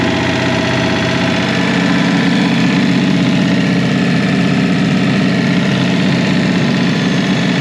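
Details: Revived Chevy inline six (230 or 250, uncertain) with formerly stuck valves; number one cylinder had very low compression: loud, ragged idle loping about three beats a second with a hollow clatter; rough idle, and the engine floats the valves.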